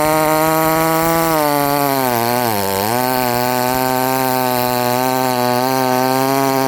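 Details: Modified Chinese 62cc chainsaw, highly modified cylinder, full throttle cutting: screaming steady high-rev note that sags briefly under load and recovers, no burble; running slightly lean, high needle richened afterward.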